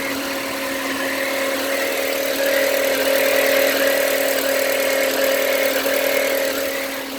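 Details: VW Passat B5 1.8 at idle: a steady mid-pitched hum holds constant over a smooth idle, with an odd noise of unclear source; unusual engine noise.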